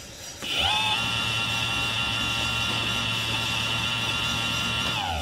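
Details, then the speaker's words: Tomos moped electric conversion, newly wired motor tested at slowest speed setting: spins up to steady even whine with low hum, holds speed then winds down; runs smoothly, normal. "totally works okay so this is the slows so this is whatever that means that's definitely the slowest speed right"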